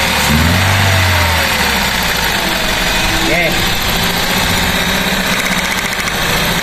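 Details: Car with misfire after new spark plugs fitted, plug wires swapped from 1-3-4-2 firing order: idle stumbles with irregular beat, three or four uneven pulses a second, misfire from crossed plug wires.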